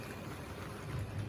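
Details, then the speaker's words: Wrenn 8F model locomotive with Ringfield motor, creeping out at slow speed on the layout: low even hum with no stutter, clicks or surging; runs smoothly. "I want to creep this out quite nicely because it is indeed running very smoothly now"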